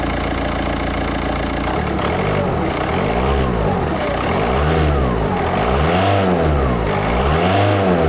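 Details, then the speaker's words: 2007 VW Touran diesel, about 117,000-118,000 miles, at idle: sharp rhythmic chuff on every exhaust pulse as gas blows past the front exhaust gasket, suspected caused by back pressure from a blocked DPF. "he wanted me to repair the gasket but what it turns out to be is i think is a blocked epf filter and it's just back pressure is just blown past the gasket at the front"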